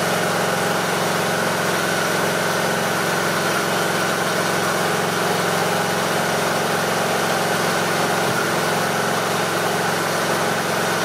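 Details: Briggs & Stratton 18.5 hp Intek lawn mower engine holding an even idle with no rise and fall in speed, after cleaning the carburetor pilot jet to cure surging.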